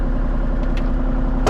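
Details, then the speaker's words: Kubota KX033-4 excavator (2019, owner thinks), just finished 1000-hour service, cold day around 45°F: start with lots of warning beeps, then steady even low diesel chug, no knocks; normal start and idle. "I'm gonna start it up because I'm cold. Lots of beeps."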